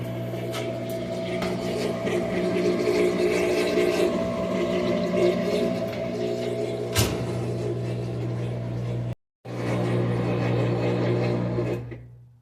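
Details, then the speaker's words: Whirlpool WTW4816FW3 top-load washer bought 2023, control board replaced three times: loud steady drone with a rattle about four times a second for over an hour. No lights, no water, controls dead; holding the button 5 seconds doesn't stop it. "Nothing's happening. No lights. But it's making a loud racket. I pushed the button and held it for like 5 seconds. And then it starts again. It's been doing this for over an hour. Nothing works, but it sounds like it's running."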